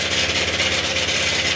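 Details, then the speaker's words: Honda Click 125 scooter, recently repaired at another shop, at fast idle. A harsh metallic rattle and tapping; the mechanic suspects an untightened bolt inside (the cam sprocket bolt) and warns it risks a holed piston or bent connecting rod. "Ayan, kapag ganyan tunugan mga sir, maaaring mayroong tornilyong hindi nahigpitan dyan sa loob."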